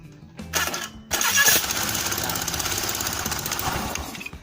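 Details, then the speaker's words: Honda Beat carburettor scooter, electric starter test after the starter motor (dynamo) was found with a non-contacting commutator: brief starter whir, engine catches within a second and settles into steady running; starter now working normally. "means we can use the starter again, or it's working."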